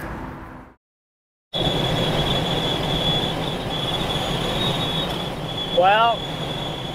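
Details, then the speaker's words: Vehicle light bar at highway speed after weather stripping was added to the bottom heat-sink fins: thin steady high whistle over road roar. The bottom fix helped a little, but the problem is mainly the top fins. "Well, the bottom helped a little bit, but sounds like our problem is more so on the top fins."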